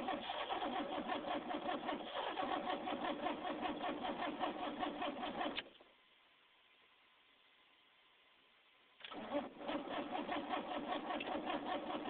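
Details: Van engine cranks at a steady rhythm of about two and a half turns a second, pauses, then cranks again without catching; crank, no start.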